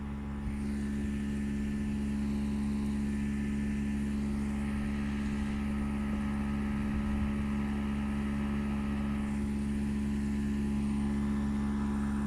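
A loud, steady low hum with a heavy droning buzz that never lets up; this unit sounds abnormally noisy, cause still unknown.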